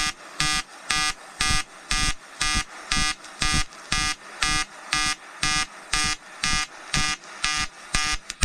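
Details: EWM Tetrix XQ 230 Puls AC/DC Expert 3.0 TIG on 5000-series aluminium with 2.4 mm 2% lanthanated tungsten and 2 mm filler: a crisp buzzing arc pulsing evenly about twice a second with a steady tone; a normal pulsed AC arc.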